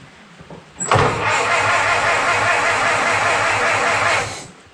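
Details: 1925 Ford Model T C Cab with distributor conversion, not run for a couple of years, transmission in neutral: starter turns the engine steadily for about three seconds but it never catches. Ignition key suspected of not giving power. Cranking, no start.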